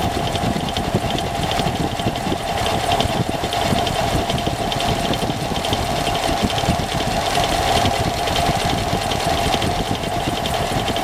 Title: engine noise